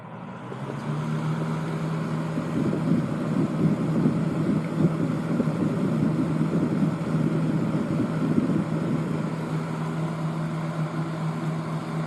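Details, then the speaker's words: 1970s Lakewood 12-inch box fan with a Fasco motor and new bearings, on high speed: steady motor hum with an uneven, fluttery rattle caused by a busted fan blade. Otherwise runs fine. "rattles a little bit due to the busted blade but otherwise it runs"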